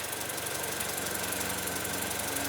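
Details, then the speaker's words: 2008 Mini Cooper Clubman bought as a "runs and drives" auction car: warm idle is uneven with a faint irregular stumble and tick under a steady hiss, plus vibration, no check engine light; rough idle, later found badly overdue spark plugs. "Got a vibration. So, it's definitely not running its best. I mean, no check engine light came back."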